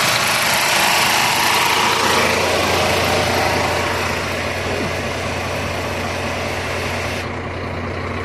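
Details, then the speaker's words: Scania truck, 13-liter diesel, idling with cab raised and AC switched on: even metallic chatter about three beats a second; belts okay, noise confirmed from the AC compressor magnetic clutch. "So yung ingay niya guys, dito guys sa guys, sa compressor niya, dito sa magnetic clutch niya guys, ito. Pag i-on mo to guys, pag i-activate mo to, dito galing yung ingay niya."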